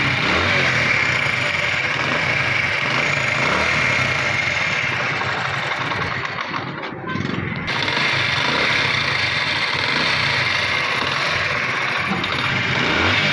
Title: Bike Engine Sound Problem | Engine Tapit noise